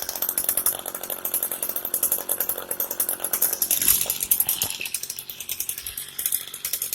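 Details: Echo heavy-duty two-stroke weed eater that wouldn't start, after parts were removed and reassembled: buzzy high revs, dropping to a choppy idle and picking up again. It starts and runs fine.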